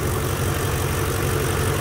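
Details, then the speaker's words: BMW E46 with an M62 V8 swap, idling cold: smooth, even low V8 rumble with no rattle, and the fuel injectors are heard clicking. The earlier knocking from the left bank is gone, so this is a normal idle. "the rattling noise is gone um what you can hear now the fuel injectors clicking away the actual knocking sound that was coming from the left bank is gone so i'm happy about that"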